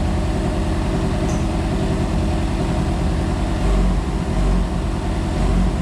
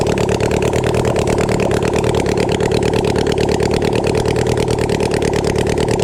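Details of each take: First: Flood-damaged Yamaha FZ6 Fazer running again after the intakes were cleaned and an engine oil flush: it idles evenly, then revs cleanly on three short throttle blips and settles back. It was slightly smoky, later traced to water in the fuel. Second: Flood-damaged Yamaha FZ6 Fazer inline-four at idle after cleaning the intakes and flushing the oil. A busy, slightly uneven beat of about three pulses a second, running a bit smoky; rough but keeps running. Water was later found in the fuel.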